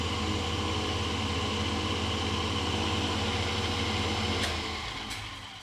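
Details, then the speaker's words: Lathe after pulley sleeve rebuild, motor mount corrected, idler too far forward pending shorter belt: steady low motor hum with no rattle or play, then wind-down with brake clicking; spindle runs smoothly. "There is not a bit of play in there. This is the brake that you're hearing clicking, but there's nothing rattling or jiggling or anything. It's all nice and good."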